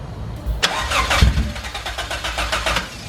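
A few seconds of cranking, a short ragged catch with uneven chuffs, then it dies away; it fires but won't keep running.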